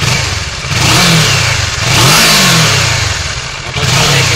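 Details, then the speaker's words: Kawasaki ER6n/Versys 650 (2015–2020) twin engine tested before sale, starts first time, no white smoke, 12 kg compression per cylinder, healthy timing and valves: crisp blips rising and falling cleanly, no knocks, rattles or misses; normal engine revving. "una moto muy moderna suena muy bien sido muy bien de vuelta correspondiente antes de ponerlo a la venta"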